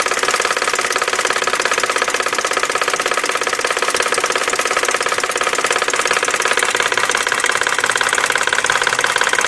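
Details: 1999 BMW 540i 4.4L V8 at idle with a rapid, fairly regular knock over the bright engine sound, coming from the passenger side; oil was seen pumping at the open oil cap while idling.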